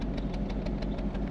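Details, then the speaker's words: Toyota/Lexus V8 in a Soarer, heard at the rear exhaust at idle: deep lumpy chop about six beats a second, misfiring, smelling of unburnt petrol, vapour visible; a wideband would read lean from the misfire. "can actually see some vapours coming out and it's chop chop chop chop chop chop"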